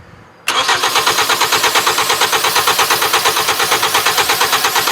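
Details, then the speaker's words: 2010 Hyundai Sonata 2.4, intermittent no start, no codes, tach signal present; cranking steadily about three chugs per second with fuel sprayed into intake, never fires: crank no start, likely not fuel pump. "I was surprised it didn't it didn't uh react to fuel because when I first started it, it fired right up. Idled no problem."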